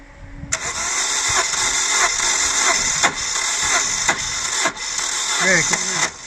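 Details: 2000 Holden Astra, 1.8 L 18XE: starter churns on and on with steady cranking beats, engine never catches; no spark or injector firing, crankshaft position sensor glitch suspected, not confirmed. Long-cranking hard start.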